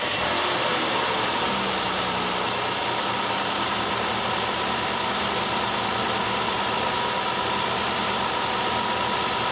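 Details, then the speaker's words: 2003 Mercury Sable, 3.0L DOHC V6, lean codes P0171/P0174, at idle: constant hiss over a steady idle, no knocks; vacuum leak where the thin PCV vacuum line to the bottom of the intake has collapsed. "if you stick your hand on underneath there there's a vacuum leak where that part collapsed U maybe you'll be able to hear that too"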